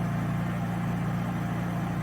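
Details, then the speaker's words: Honda EU3000is generator idling with cheap aftermarket Huayi carburetor and aftermarket servo: low, even hum with no surging, hunting or misses; idles phenomenally well. "But yeah, as you can see guys, she runs phenomenal with that aftermarket carburetor. So that shocked me. I really didn't think that was going to work well, but she idles so good."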